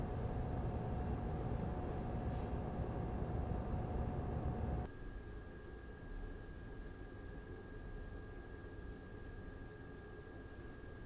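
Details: Razer Core X Thunderbolt 3 eGPU enclosure with an RX 5700 XT, idle, same mic distance: the stock cooling fan gives a steady rush with a whine near 700 Hz. The replacement Noctua NF-A12x25 is much quieter with a faint high tone.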